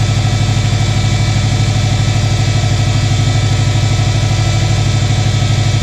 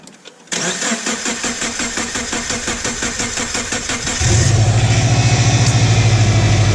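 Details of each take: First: 2006 Subaru Forester 2.5 after replacing all four coil packs and spark plugs: steady, even idle with a smooth low thrum and no misses or stumbles; running clean. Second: 2006 Subaru Forester 2.5 after replacing all four coil packs and spark plugs. About four seconds of steady rhythmic cranking before it catches and settles into an even idle: hard start, long crank.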